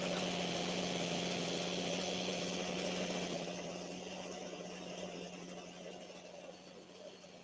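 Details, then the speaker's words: Small two-stroke trimmer engine that is hard to start cold and idles too high, with a possible air leak: idling steadily with a buzzing tone that quietens as the idle screw is backed out a half-turn at a time by ear. "Start it up and get it idling and then slowly back the screw out like a half a turn at a time. No, just listen to it while you're doing it."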